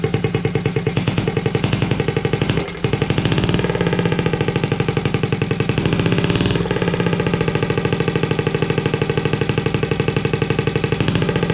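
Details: Honda Z50A Monkey bike running after fitting a CR70 stator with the original flywheel, warming up with the manifold disconnected from the silencer: loud, rapid, even unsilenced popping at a steady idle, a brief dip and recovery, running cleanly.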